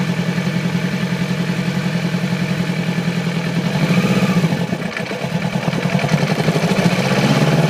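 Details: 2008 Yamaha R6 idling and blipping with an uneven, stumbling beat; sudden onset overnight, little power at low rpm, sluggish at high rpm and freeway speeds; cylinder misfire from a faulty ignition coil, replacing it fixed it.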